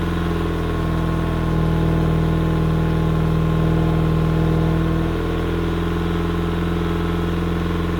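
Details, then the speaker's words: Yamaha outboard on 1980/81 Sun Tracker Party Barge pontoon, water hose on, after opening fuel vent and turning choke off, before carburetor cleaning; even, steady idle with smooth regular beat, no misses or stumbles. "well whatever was giving it a hard time appears to have passed through the system I let it run for a good amount of time there and it didn't seem to miss it to beat"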